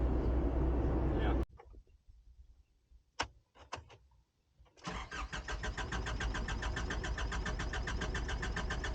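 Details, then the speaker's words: Self-built motorhome, engine hot; engine cuts off, a few clicks, then steady cranking at about three and a half turns per second that never catches; hot no-start, starter motor suspected, recurring problem. "शायद मुझे starter motor को फिर से चालू करना होगा। यह फिर से हो रहा है,"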